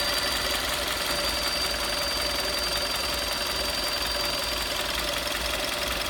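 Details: 2011 VW Golf VI Style 1.4 TSI 90 kW (122 PS), engine warm, at idle: constant thin high whistle from the water pump area of the engine bay; cause suspected, not confirmed.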